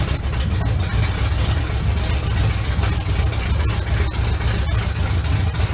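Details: 1971 Chevrolet Camaro V8 after sitting nine years, first start with known-good carb and fuel at the pump, car still off the ground: strong low rumble with even exhaust pulse, no stumbles; engine running properly.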